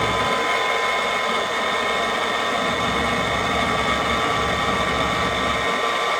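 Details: Hardwood floor edge sander's motor, rebuilt with wires zip-tied clear of the armature, runs with a steady, even whir, no rattle or knock, speed holding constant; normal running.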